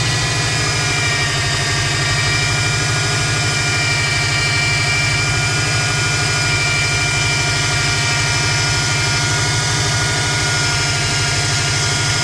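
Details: 2005 Subaru Impreza WRX at idle: steady high-pitched whine and hiss from the engine bay, constant over the engine note; turbo whistle heard when driving; source unknown.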